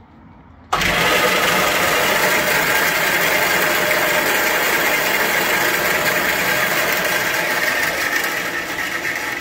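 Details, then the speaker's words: Small garage-sale bandsaw after cleaning, re-greasing and blade tracking, reassembled: motor holds a steady hissing rush with a scratchy rasp; blade scraping along the plastic guide housing. "So whether that's correct or not, I'm not really certain, but I think it's fine. You can definitely hear the blade sort of scraping its way along that little plastic housing though."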